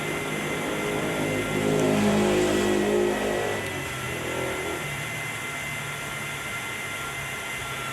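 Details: 1400 W grid-tie inverter under repair after blown fuse and AC-side short, fan reported not spinning: when the part is briefly heated, the small cooling fan spins up with a soft whir, then fades and stops as it cools; fan works normally.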